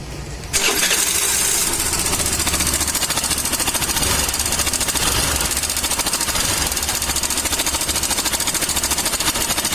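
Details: Suzuki Access BS6 scooter fires up, then a quick metallic ticking chatter sits over the idle; top-end rattle from a slack cam chain tensioner.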